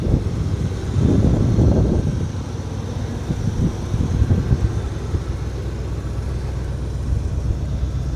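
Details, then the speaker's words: 1978-79 Chevy K20 four-wheel-drive V8 automatic, revived after sitting about 15 years, running minutes on fuel in the carburetor bowl or old tank gas: low, steady burble about four beats a second, no stumbling or surging; normal idle. "So, I fired it up like 3 minutes ago on the fuel that's in that was in the bowl and it's still just idling along."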